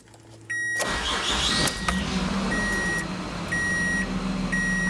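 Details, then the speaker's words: 2006 Mazda MPV 3.0 V6 after replacing IAC valve for hard start and stalling: cranks, catches quickly, settles to smooth steady warm idle with door chime; normal start and idle. "as you can see here we've returned to a normal idle speed"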